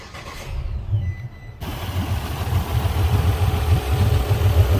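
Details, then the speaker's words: Port Yamaha outboard on a 385 Pursuit, running poorly, fuel checked with no contamination, covers off: starts after a short crank into a lumpy, uneven, shaking idle with irregular beats; coils are to be pulled to find which cylinder, if any, is at fault. "see it's shaking pretty bad so we can do is pull our coils and see what we can pinpoint what cylinder is doing it or if it's cylinder at all"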